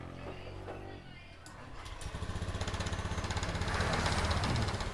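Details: Honda Scoopy scooter after replacing the faulty ignition coil that caused hesitation on initial throttle; quiet, then quick even beat of about four pulses a second, pulling cleanly without stumbling.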